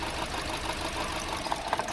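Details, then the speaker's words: Honda Civic 1.8 16V 2009 petrol engine idling unevenly with a lumpy pulse and sharp clicks: one cylinder misfiring, causing noise, loss of power and high fuel use. Coil swap ruled out the coil; faulty fuel injector suspected (chronic Honda injector defect). "Ou aquele defeito mecânico que o reparo história da peneira e cai em Tokyo bico vou dar uma partida nesse eu vou acompanhar e o funcionei ele barulho"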